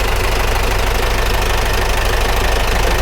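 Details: Cold, not yet warmed-up military vehicle diesel spitting oil, tested for pumping oil versus blow-by: loud, uneven clattering idle with rough knocking about 2.5 per second; worn diesel engine with heavy blow-by.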